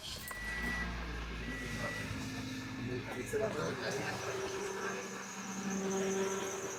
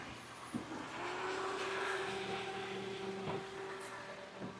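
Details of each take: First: 2006 Toyota Corolla just after belt tensioner replacement (old one rattled), first start: on-and-off high squeaky chirps over the running engine, likely from the belt drive; owner unsure, suspects something done wrong or new belt. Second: Toyota Corolla at idle after belt tensioner replacement, second startup: smooth, quiet idle with a steady faint hum and no chirp or squeal; the new tensioner was noisy at first, possibly settling in, and the belt drive now sounds normal.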